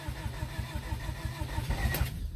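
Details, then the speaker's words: 1991 Honda Civic hatchback (EF, ED6) just after fuel tank, pump and filter replacement, about two gallons in the tank: a steady starter chug with no cylinder catching. It cranks but does not start, then runs on the next try. "oh i tried let's try one more time"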